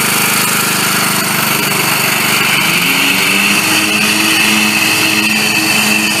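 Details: Bolens riding lawn mower that would not start, now running after its bad solenoid was replaced: a small single-cylinder engine at steady speed with a busy, even buzz and no knocks or misfires, so it is running normally.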